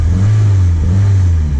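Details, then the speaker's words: 1991 Mitsubishi Galant VR-4 with custom turbo kit, Precision 5558 turbo and E85 tune, warm, after welding cracks in the custom turbo manifold; deep, even engine drone with no ticking, puffing or hissing, exhaust leak gone, sounds healthy. "exactly how it should sound now all right let's go ahead and take it for a test drive"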